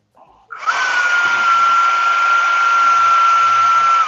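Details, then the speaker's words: Electric ducted fan (EDF) unit from a Habu RC jet, being balanced with tape or tire weights moved one blade over; the fan spools to a steady high whine with a faint low throb. The imbalance is still present but easing. "So, let's go to here. Going to move over one blade. You can see it's moved over from there."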